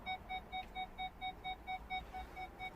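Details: Land Rover parking sensors after repair, key on: rapid even mid-pitch beeps about four a second; button LED no longer flashing, parking aid working normally.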